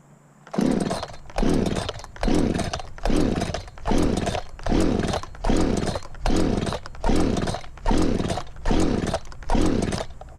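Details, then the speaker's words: Echo CS-590 chainsaw after reassembly, pulled with the choke out: about eleven pull-start strokes, roughly one a second, each a brief spin that never fires; the engine is flooded and the spark plug is wet. "And it's flooded. That was just too many pulls with the choke out."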